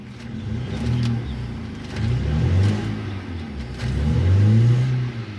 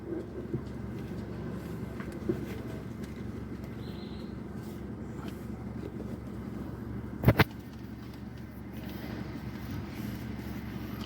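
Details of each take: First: Hyundai i10 petrol engine with heavy vibration and check-engine light on, revved in short bursts: uneven, stumbling exhaust note. Scanner logs misfires on cylinders 2 and 3; cylinder 3 is not firing, and water is found there, apparently after a car wash. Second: Hyundai i10 petrol engine: steady, even low idle hum with no misses or hunting; normal idle.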